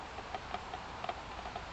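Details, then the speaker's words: Homemade wind turbine built on a trailer hub, heard up close: faint light ticks a few per second at uneven spacing while spinning; owner suspects bearings need grease, cause unconfirmed. "actually now that I'm up up close to this one I can hear it ticking a little bit I might need to grease my bearings"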